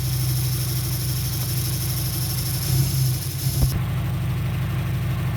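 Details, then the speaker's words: 2003 Dodge Neon 2.0 with a new timing belt and rebuilt head; 190 psi compression on all four cylinders, new plugs, no vacuum leak. Low idle with an uneven, stumbling beat. Plug leads are pulled one at a time: two cylinders show no change, so they are dead. Misfire on two cylinders. "If it doesn't make a difference, then that's the cylinder that's dead. Or the coil is no good."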